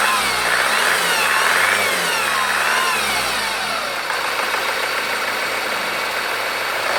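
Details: Honda Accord 2.2 i-CTDi diesel at idle after the chains were changed: a clear high whine wavering in pitch above the engine's clatter.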